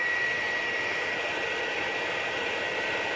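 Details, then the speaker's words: PlayStation 4 before cleaning and replacing the CPU thermal paste: constant loud vacuum-cleaner-like rushing roar with a faint high whistle; fan maxed out from overheating caused by dried thermal paste. "peki duyabiliyorsunuz Tanrım aynı elektrik süpürgesi gibi çalışıyor"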